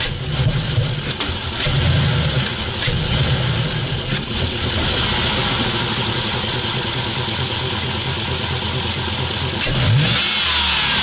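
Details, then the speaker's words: ZIL truck blips up but stumbles and bogs on each rev, then sags back; fuel starvation as gauge shows pressure dropping nearly to zero, owner suspects the fuel pressure regulator not holding. "Я так понял вы видели да давление падает блин на ноль чуть ли что-то всё-таки не то"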